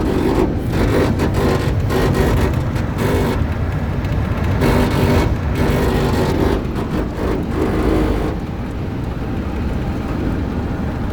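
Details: 2001 Chevy Silverado 1500 RWD coasting at 75+ mph: steady rough grinding roar under road noise, with vibration felt in the gas pedal and sound from both sides of the front floor; owner also notes a click at the front brake caliper in reverse. Source not found.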